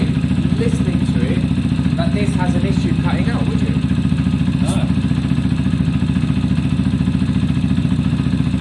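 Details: Zontes motorcycle after fixing a bad idle that cut out when coming to a stop, valves checked, warmed up a minute: even, steady low thump with no stumbling, hunting or dying out; normal idle.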